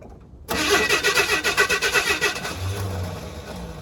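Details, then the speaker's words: 1979 Chevy C-10 half-ton with inline six, revived after 8 years sitting in a tow lot: uneven, labouring cranking that fades without catching; owner suspects it will need a new starter soon. "think it's going to need a new starter soon. Definitely going to need a new starter soon."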